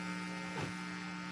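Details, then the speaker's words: Homemade split-supply power amp (two bridge diodes, about 31–33 V), left channel tested with a small speaker and no input: only a faint, steady low hum with a few fixed tones, no harsh buzz suggesting a damaged capacitor; normal amplifier hum. "Ayan, normal lang yung kanyang audio, ugong lang ng audio."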